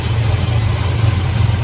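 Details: 1974 Plymouth Duster V8 survivor after a long sit, idling just after timing was set and before idle air screw adjustment, being checked for leaks: deep, even idle rumble with no misses, knocks or hunting; normal idle.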